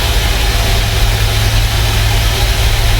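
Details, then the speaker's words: Volvo FMX 440 truck with weak exhaust brake, parked, during diagnostic leak test of the exhaust pressure governor circuit: steady low idle under a continuous hiss of escaping air, leak heard from the left side of the engine; exhaust brake air leak. "Kita tes kebocoran dulu. Kalau ada bocor pasti dia bunyi ya. Oke, langsung saja kita tes. Nah, langsung ada dengar bocor ya."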